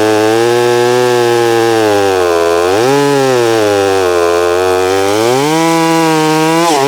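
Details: Holztfforma G660 chainsaw, warming up, after losing top-end power while milling (fuel filter suspected): clean steady buzz that dips into the cut and recovers smoothly, now holding in the cut; running more normally, low-end adjustment still pending.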